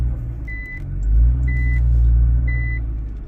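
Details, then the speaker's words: Nissan R35 GTR reversing with diff switch held to save so front differential doesn't engage: smooth low rumble, no driveline clunking, noticeably quieter than usual normal reverse clunks; quiet reversing with front differential disengaged. "I'm not sure how well you can hear the difference um but it's quite significant"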